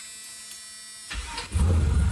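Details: Camaro with swapped 6.0 engine, first start after troubleshooting: cranks, catches and settles into deep, even idle with no misfire or stumble: normal start and idle.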